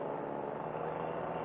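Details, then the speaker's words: Air Conception Tornado 280 paramotor, freshly rebuilt after a recall failure (broken piston, scored cylinder, trashed head), breaking in during test flight at 6,200–6,300 rpm, below full throttle; smooth even high-rev drone, no misses: normal high-rpm running. "we're at 6,200 6,300 twenty and everything is new guys and I want to make sure this this motor just broken in properly I don't want to over rev it"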